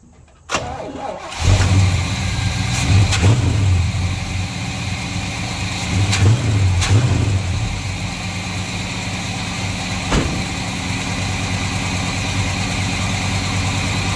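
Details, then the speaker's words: 1953 Chevy truck after timing chain cover block-off and a hose leak fix, timing just adjusted: cranks, catches within a second, then a steady, even V8 idle with no misses; runs much better. "yes sir I already tail is running much much much better"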